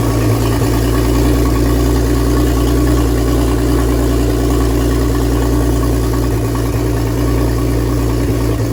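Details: BMW E46 turbo build, first startup after final assembly with the front subframe and steering rack rebuilt, in rain: a steady, even low rumble with a smooth lope and no knocks or ticks, idling cleanly and healthy.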